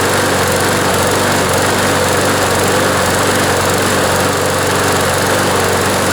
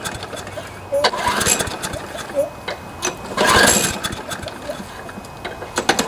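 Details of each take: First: John Deere JS26 push mower, Briggs & Stratton engine, after the blade hit something hard; fuel system cleaned, cable replaced, blade reinstalled: steady, even high-speed drone with no misses or surging, though vibration remains and a bent shaft is suspected. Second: John Deere JS26 push mower with Briggs & Stratton engine after the blade hit something hard: runs unevenly, surging and skipping every second or so, with vibration and hard starting; fuel system cleaned, new plug and air filter; partially sheared flywheel key suspected.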